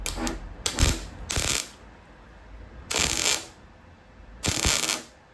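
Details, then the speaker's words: Welding on an Escort-body-on-Mazda MX5 RWD body swap: MIG turned down slightly for a gap after blow-through; steady even frying-bacon crackle, no popping, settings right. "I think that's probably about there. I've turned it down a little bit though because we've got the gap."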